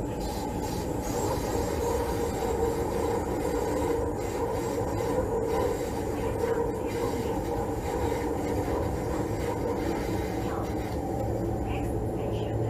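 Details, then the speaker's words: Train on a curved track: a steady hissing "ssss" squeal at about 800 Hz over the rolling rumble, distinct from corrugation noise at about 460 Hz. Wheel flange rubbing noise. "And the flange rubbing noise is at higher frequency. It is "ssss" like this sound. You can hear it. It is about 800 Hz."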